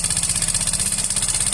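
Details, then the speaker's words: Yamaha Fino 125 scooter, no history of low or late-changed oil, CVT ruled out: rapid, even clatter at about twelve per second over the idle from the engine top end; cause is a faulty decompressor. "Oke teman-teman, kita dengarkan di sini suaranya sangat berisik sekali ya. Ini sudah 100% bukan dari CVT."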